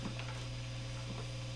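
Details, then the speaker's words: Epiphone Les Paul Special with Epiphone P90 pickups, nothing played, Fender Hot Rod III Deluxe clean channel, tone and volume full up: faint steady low mains hum, slightly audible in middle and bridge positions. "middle setting between the two pickups and you can start to hear now if you listen really closely bit of hum in the bridge position"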